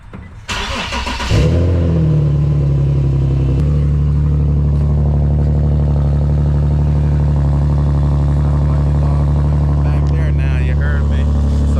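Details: Infiniti G37, fairly cold morning, just after an exhaust leak and hanger repair and before a tune-up: brief crank, quick catch, then a steady, even cold high idle with a deep, smooth exhaust note.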